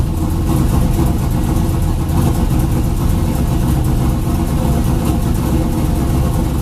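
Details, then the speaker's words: 2000 Camaro with a junkyard 5.3 LS, TH400 and a turbo kit, 1000cc injectors with corrected injector data, fuel taken out, throttle body opened more: it starts right up to a deep, smooth, steady V8 rumble. Normal idle. "it starts right up no problem hell yes"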